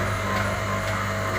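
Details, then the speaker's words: Domestic water pump motor test run after complete rewinding and refitting: even steady mains hum with low drone, no knocks or rubbing, running smoothly until switched off. "तो अब मैं पीछे से बटन जो है ऑफ करता हूँ, ठीक है, तो ये बंद हो जाएगी। ये लेंगे, ये मोटर जो है कम्प्लीटली वाइंड करने के बाद इसको चला के मैंने चेक करवा दिया।"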